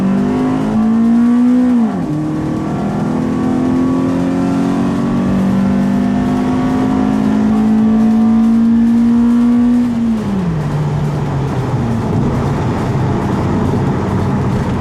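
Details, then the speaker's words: Toyota Celica GT-S (2000–05) with a new Injen IS2045P short ram intake and TRD exhaust, warmed up, driving: the note pulls up cleanly, drops at each gear change, then cruises smoothly with strong intake roar; normal intake and exhaust sound. "you can hear the intake, and well, you can hear mostly my exhaust, which is the TRD exhaust."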